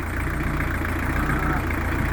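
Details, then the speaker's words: Newly fitted Beta Marine narrowboat diesel at tickover after first start: steady, fairly quiet chug with even beat and no knocking, quieter than expected, with the hospital silencer doing its bit; normal idle. "yeah it's um it's quite quiet it's a lot quieter than I thought it would"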